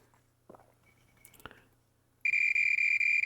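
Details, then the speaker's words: Marantz 1180DC amplifier, meter on transistor checking for shorts: couple of probe taps then steady high-pitched continuity tone; transistor shorted all the way around, bad. "that is a dead short and that noise is so annoying"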